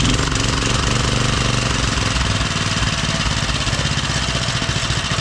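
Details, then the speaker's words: Small single-cylinder Briggs and Stratton engine with rebuilt updraft carburetor, new fuel line, main jet and idle adjusted: picks up briefly with a little gas, then settles into a steady, even putt-putt idle with no misses. "what I did I adjusted the main jet and the idle I'll start it up here and we'll see how it do give it a little gas"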